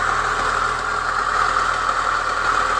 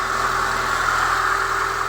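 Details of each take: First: Chevrolet Niva petrol engine cold start: fast metallic rattle up top near cylinder one until about 60°C, then gone; caused by new timing chain tensioner, old tensioner refitted with modified spring. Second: Chevrolet Niva petrol engine started cold at 16°C, after the repair of a cold knock near cylinder one that used to last until about 60°C: it now idles smoothly with no knocking.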